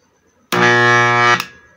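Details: Ferrari bench grinder with 15 µF/250 V test capacitor fitted, two screws missing: loud steady electrical hum under a second with no wind-up; motor stalls because the armature rubs on the stator.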